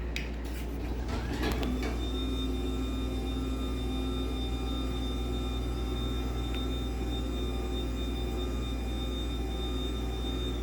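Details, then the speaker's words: LiftMaster 84505R belt-drive opener, run without the door attached so only the motor is heard: a click at start-up, then a steady, fairly loud hum with a constant whine and no grinding or knocking; normal motor run. "[Music] so yeah I do think it is kind of loud"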